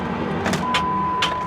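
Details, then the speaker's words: Heavy clunk when cranking a 176,000-mile Chrysler at auction, listed as non-running: the key gives a few sharp clunks with no cranking rhythm, plus a warning chime. Starter has good power; a locked-up engine is suspected, not confirmed. "Oh. Yeah, that doesn't sound good."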